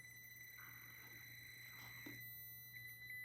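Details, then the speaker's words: Traxxas TRX-4M Bronco RC crawler, first run: thin, steady high whine over a quiet crawl at low throttle, the ESC's pulse-width modulation; normal ESC PWM whine, motor seems short on torque. "you can also hear the ESC you can hear the pulse width modulations kind of low on it this is why you can hear it"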